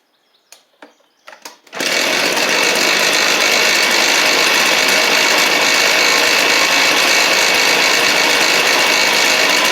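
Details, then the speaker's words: Two-stroke blower after a Hipa carb kit; sat 6–8 months, a shop blamed low compression, likely just flooding or fuel starvation: a few pulls on choke, catches and holds a loud steady high roar, no surging; healthy. "But, I literally throw the choke on, pulled it about three times, and it fired right up."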